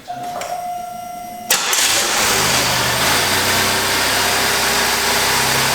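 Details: GM/Buick 3800 DIS engine test-fired on a cold winter day: a door chime, then an instant catch into a steady, even idle with no misses. It runs healthy; the intermittent cold-soak misfire is not showing.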